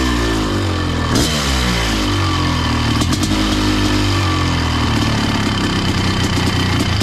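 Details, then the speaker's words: Honda CR500 two-stroke powered Schwinn trike, 170 main jet: crisp steady buzz with clean throttle blips, no misfire or rattle; clean bill of health, normal running. "Okay, boys. I'm giving it a clean bill of health. I'm I'm ready to send it back."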